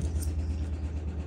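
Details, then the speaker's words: Air compressor removed from a 1999–2006 Silverado during upgrades: steady low motor drone with a fast, even pulse and no sign of working against pressure; it runs but doesn't suck or pump, so it is being replaced. "And if you don't feel it suck, then it's pointless, because all it is you can hear it on, but it's not working."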